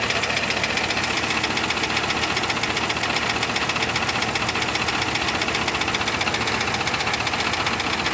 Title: Volvo 850R knocking noise